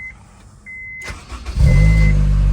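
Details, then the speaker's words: 2005 Honda S2000, sat a year, new battery, previously silent no-crank: door chime, then a quick crank catches and settles into a steady, even idle with no misses, starting even with the clutch pedal connector unplugged. "There you go. It's kind of crazy that it starts without the clutch connector."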